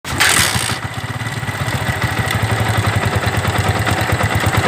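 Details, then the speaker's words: 2009 Yamaha Vixion (old model) idling after start: rough, scraping top-end clatter, a friction-like noise from the cylinder head. Worn camshaft bearing in the head. "Nah, seperti itu ya teman-teman ya. Ada bunyi seperti gesekan dan bunyi."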